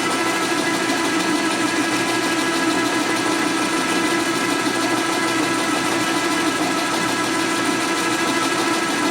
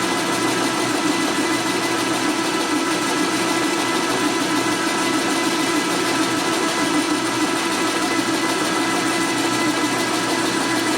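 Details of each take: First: Lathe cutting during cylinder/piston fitting on a 1961 Harley XLCH Sportster rebuild: a steady hiss with a constant whine and slight chatter, chips coming off at an even distance, so the load holds and the cut is consistent. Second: 1961 Harley XLCH Sportster cylinder being bored on a machine: steady machining drone with a fine fast buzz as the boring cutter chatters slightly during the cut.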